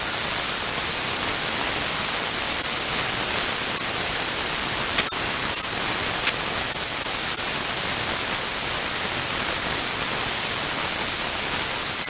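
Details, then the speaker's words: VEVOR 8-gallon ultrasonic cleaner running with unheated water at 19 degrees, old pulleys in the tank: a steady, even fizzing hiss with faint crackles and no hum or rattle as the transducers cavitate, moving dirt. Normal cleaning operation. "Probably kind of hard to see on the video, but it's definitely moving some dirt around."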